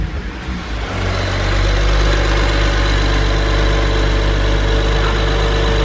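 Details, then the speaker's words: BMW 135i starting after belt guard mod installed, belt removed earlier over suspected issue: settles into steady smooth idle around four pulses per second, no clunk or knock; normal idle. "healthy as to be healthy it's healthy right let's unbox it it sounds really good I'm telling you dude"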